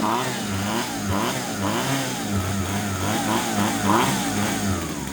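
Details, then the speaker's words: Husqvarna 136 chainsaw that previously would not start, with fuel checked for water, now starting and running: small two-stroke buzzes steadily with light throttle blips, picking up cleanly without stumbling, about to be warmed up; normal running. "Slipper vi höra den här [ __ ] maskinen den brötar ju så in i helsike. Så in det riktigt där. Fan vad kul att den startar."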